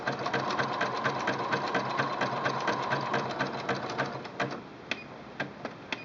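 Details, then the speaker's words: Singer Quantum L-500 sewing machine, zigzag at 3.0 width, 3.0 length: even quick needle ticking about two stitches a second over light motor hum; normal zigzag stitching. "Now I'm going to show you the zigzag stitch in a variety of widths. I'm starting out with a 1.5 width and a 3.0 length."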